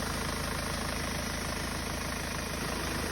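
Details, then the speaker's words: Hyundai Starex D4CB diesel idling fully warm: steady, even clatter with no knock. Only very slight smoke and a little oil spatter remain, considered normal. "So ayan na nga mga boss ah mainit na ang makina nito. Gagay na pa umaandar."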